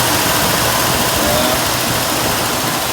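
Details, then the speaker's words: 1968 Ford Mustang after sitting about 8 years, cold start at roughly 25–30°F, running on a swapped-in carburetor and added fuel pump, not from the tank: steady, even idle with rough hiss over low hum, no knocks or misses; normal idle. "After sitting for 5 years, we got her started up, changed the carburetor."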